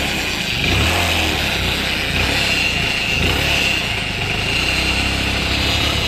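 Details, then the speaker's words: Motorcycle idling after engine rebuild: harsh metallic rattle and faint high whine over the exhaust, noise changes when the clutch lever is pulled; clutch-side gear timing noise, gears meshed a tooth out, to be fixed from the clutch side. "ठीक है तो यही problem है engine band कर दीजिए इसकी colours दबाने पर कुछ हंसना किस की आवाज खत्म हो जा रही है"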